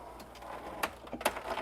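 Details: 1999 Porsche Boxster 986 driver's side window regulator: motor works and whirs softly, broken by sharp crunchy grinding clicks as the broken or frayed regulator cable catches; window fails to drop with door handle. Fixed by replacing the regulator.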